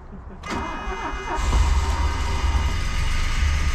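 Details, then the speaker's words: DeLorean, long-stored barn find, after fuel system flushing: cranking stumbles, then catches into an uneven, lumpy low rumble that never settles; sputtering, hard start. "sounds like it's just just it's just running running on moonshine right now"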